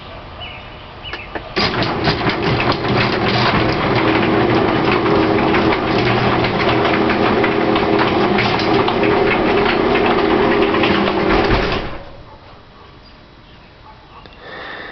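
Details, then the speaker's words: Garage door with new springs and cables, smooth going up: opener drones about ten seconds with rattling jolts as the door travels down, shaking near the top and catching in the middle, then stops; door shudders when closing. "I guess you can hear it more than you can see it but up at the top when it's going down it shakes a few times and then in the middle it seems to get caught too"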